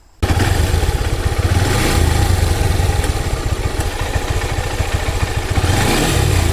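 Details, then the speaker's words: Honda Hornet 160R engine running, noise returned after an earlier fix: quick, light tak-tak tick over the exhaust beat, from a worn timing chain tensioner letting the chain slap. "എന്നാലും പക്ഷെ നമുക്ക് റണ്ണിങ്ങിൽ ഒരു sound ഉണ്ടാകല്ല ഒരു ടക് ടക് ടക് ടക് അങ്ങനത്തെ ഒരു sound ആണ് വന്നുകൊണ്ടിരിക്കുന്നത്."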